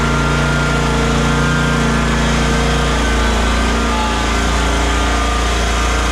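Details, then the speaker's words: Exmark Vantage S stand-on mower, Kawasaki FS541V engine, that popped, misfired and lost power under blade load, after diagnosis and repair: steady, even hum with constant pitch and no popping, misses or surging; runs smoothly. "Let's plug this in and let's see how this thing runs now. See if that changed anything. [Music] Heat. [Music] [Music] Runs just beautifully."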